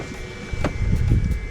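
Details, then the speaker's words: BMW F10 535i after installing new electric water pump and thermostat housing (fan had been cycling intermittently), front raised on ramps for bleeding: faint steady high pump hum under low thumps and handling noise, pump running normally and pushing air through. "so like he said because the car is elevated in the front it should help with the process you guys can hear the pumps on"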